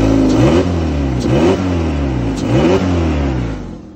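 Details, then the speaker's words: Kia petrol, 127,000 miles, three quick rev blips rise and fall with a rough breathy edge; exhaust blowing, owner suspects a poorly fitted exhaust, not confirmed. "there is my father 127 000 miles on it for a petrol as you can hear the exhaust is blowing"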